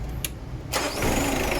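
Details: Mitsubishi Adventure after replacing and cleaning the carbon brush to cure hard starting: a brief starter crank, then the engine catches within a second and settles into a steady idle. Voltage drop during starting is okay; normal start.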